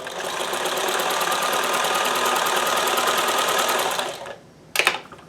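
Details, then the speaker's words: Sewing machine being diagnosed for dropped stitches, on fresh double-layer fabric after raising foot pressure: even quick needle chatter for about four seconds, no skipped beats; stitching normally. "And we have, 100%. That's interesting. No drop stitches that time."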